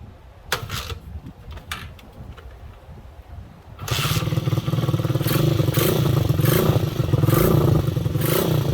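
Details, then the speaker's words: Old Honda XL125 Scrambler single, kick-started with the rusted air cleaner removed. After some rattling it fires and holds a steady thumping idle with clean throttle blips; normal running. "listen to that sounds like a running bike hey"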